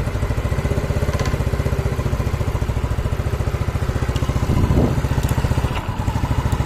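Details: Yamaha Mio Sporty scooter after rebuild for lost compression (previously no compression, light when kicked), throttle being lowered, leftover oil in the exhaust; steady single-cylinder putter with brief rise and dip near five seconds; smooth normal idle.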